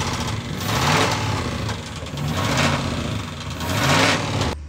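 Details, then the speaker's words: 1993 Dodge Ram D150 with its old 318 Magnum V8, cranked with a Power Probe because of wiring faults: rough engine surging in revs with a loose, irregular knock underneath, believed to be a rod knock. "so I can crank it with the Power Probe and I took it down the road and it ran it knocks really bad"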